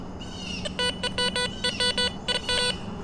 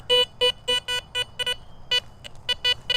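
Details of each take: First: Garrett Vortex VX9 metal detector with bottle cap reject turned up to 5, target reading 52 next to a bottle cap: repeated identical mid-pitched beeps on each sweep with no iron bumps; a consistent non-ferrous target, dug up as a ring. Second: Garrett Vortex VX9 in standard multi-frequency, bottle cap reject at 2, over a suspected iron target reading around 52–55: clean beeps at first, then choppy blip-and-bounce audio as sweep direction changes, indicating trash.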